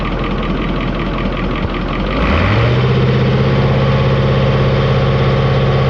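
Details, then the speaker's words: Caterpillar 3208 diesel, cold, not yet filled with water; rhythmic cranking, fires at about two seconds, settles into steady even idle, trying to build air; running healthy. "she's a runner sounds like she's trying to build air"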